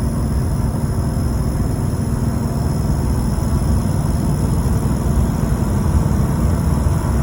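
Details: LBZ Duramax diesel: deep steady rumble with a thin, constant high whistle of the turbo spooling; no indication whether it is abnormal. Turbocharger whine.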